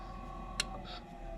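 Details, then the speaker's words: 25-year-old furnace whose inducer motor hums steadily, then a sharp relay click and the hum drops away as the inducer shuts off. The relay is closing, and the tech suspects the motor rather than the board; not confirmed. "When I disconnect this call, I disconnect that motor comes on. There's no click. Then you get a click"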